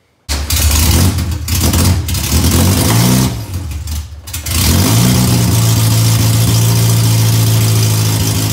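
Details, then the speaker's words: Honda CRX AWD build with aggressive cams, freshly built engine during break-in, started up: fires, one blip, then steady lumpy idle with deep even beat; normal cammed idle. "And before we go, I just want to do a little quick startup for you guys because I personally am in love with the cams and in love with the idle of it. And I'm sure that you guys like the sound of it too."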